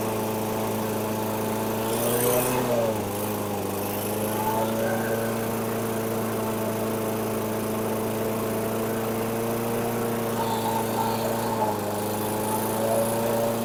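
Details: 2008 Weedeater 22-inch 500 series mower, engine model 10T502, after non-start repair work: steady fast single-cylinder buzz with a couple of small dips; RPMs a little high, possibly left high for heavy cutting; throttle cable and a possibly bent screw to check.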